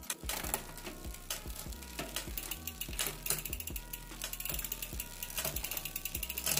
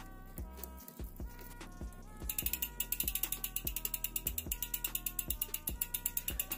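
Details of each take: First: Rear derailleur after adjustment: crisp ratcheting clicks as the chain steps across cogs, clean shifts with no grinding or rubbing, normal gear shifting. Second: Bicycle rear derailleur, cranks turning after adjusting the inner limit screw: rapid metallic ticking, getting busier partway through; limit screw turned too far, chain rubbing the derailleur.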